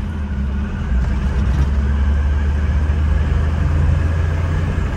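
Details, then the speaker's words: 1986 Toyota pickup turbo on a test drive; steady, even engine drone building smoothly under acceleration with audible turbo spool, no knocks or rattles; normal turbo spool. "You can hear the turbo spool"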